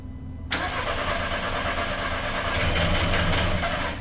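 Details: VW Passat crank no-start with no spark, no communication and no injector pulse: steady starter churning at about three beats per second with no catch while the coil is fired rapidly in succession; caused by a bad sensor ground.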